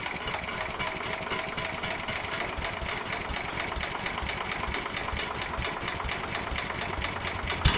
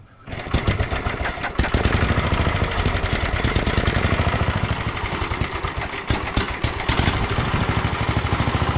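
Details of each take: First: 1967 Sears Suburban 10 tractor single-cylinder engine during restoration, running on a little choke with carburetor being adjusted, muffler loosely on: uneven loping beat, hunting speed; brake cleaner sprayed behind it changed RPM, revealing vacuum leaks to fix. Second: 1967 Sears Suburban 10 tractor single-cylinder engine, next day after fixing intake vacuum leaks during restoration; starts quickly and settles into a steady, even putter, running pretty good.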